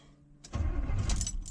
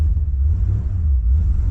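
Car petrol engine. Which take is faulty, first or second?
first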